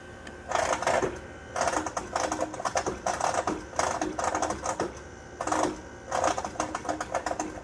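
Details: Trane XR outdoor AC unit makes intermittent thundering, rattling noise in bursts of metallic clattering after running several hours late at night; still cools fine, owner suspects a bad compressor, unconfirmed.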